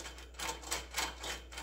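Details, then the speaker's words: Honda ATC185S, axle removed, bearing spun by hand: gritty uneven clicking bursts about three a second as it hangs up on damaged balls; bearing and seal to be replaced. "oh listen to that oh it's hanging up on narfed up ball bearings"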